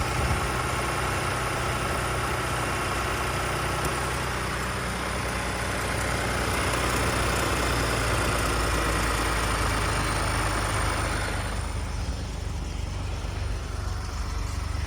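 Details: 2018 Ford F-150 on a cold start: idling engine with a busy metallic rattle over the low hum that eases off after about 12 seconds; timing chain noise is suspected, unconfirmed.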